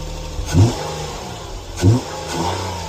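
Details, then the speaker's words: 2012 Nissan Maxima 3.5 V6, cold start after sitting a day or two: engine catches with two rough flare-ups and loose rattle before settling; timing chain slack from leaking oil-pressure-driven tensioner. "And that's what a that's what a leakin timing chain tensioner sounds like. Um, timing chain tensioner is driven by oil pressure."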